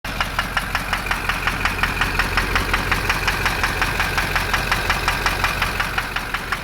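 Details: GM Duramax LB7 diesel at idle: sharp evenly spaced knocks, about 170 a minute, over a steady idle; possible bad injector, suspected on the other bank, with calculated fuel rates jumping around on the scanner, unconfirmed.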